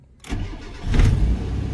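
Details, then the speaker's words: Mitsubishi Lancer cold start after a new fuel pump and filter, fuel line flush and injector cleaning for hard starting and misfire: short crank, catches on the first try and settles to a steady idle, with no misfire and no check engine light. "one click start yan ganda ng andar ng makina mga anan cold start pa siya"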